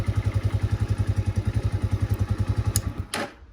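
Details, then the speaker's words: Spark 150 motorcycle idling with even low thump, then cuts out cleanly when ignition is switched off, after repairing the kill-switch and ignition wiring that had kept the engine running. "зажигання і мотоцикл в нас глухне все чтко можна з кнопки тоже заглушить все Як бачите все працює чудово"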